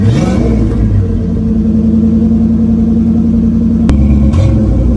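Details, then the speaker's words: 1976 Ford Granada, 351W V8, just fitted with 3-inch exhaust and 2-chamber Flowmaster, tailpipe not yet installed: deep even idle, loud open exhaust, quick blip at start; smooth, steady and healthy. "maybe we should start it up and see how she sounds maybe we can get some Flowmaster sound"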